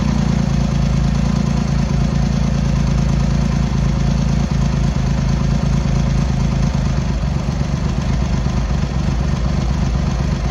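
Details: Triumph X75 Hurricane, rebuilt carb rack just refitted, cold on half choke: lumpy, irregular idle with occasional stumbles, cylinders not firing evenly; pilot screws thought set 7/8 out, carb tuning/richening suspected needed.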